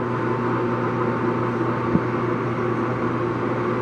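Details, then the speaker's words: Longem LG26120C 26" x 120" gap bed lathe, ran only one job: smooth, steady low hum, no knocks, rumble or grinding; spindle running cleanly, normal. "The spindle sounds great. So it's like I said this before, the machine was purchased by this gentleman, ran one job, and been there ever since."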